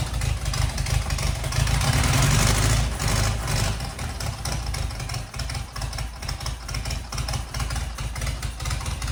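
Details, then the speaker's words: 1977 Fiat 124 barn find engine, running on fresh gas after brake work: lumpy, uneven idle with a missing pulse each cycle, running on only three cylinders; starts easily. "not bad for only three cylinders almost sounds like it's got a big hand some big cans in it all right so it's not great but it runs"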